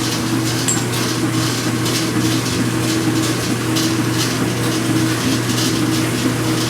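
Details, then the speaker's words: Speed Queen washer during agitation (not spin): steady motor hum with a scattered metallic rattle like pennies, from a vibrating dry spindle washer underneath; fixed by greasing it. "it's not that loud but it sounds like a bunch of pennies rattling together"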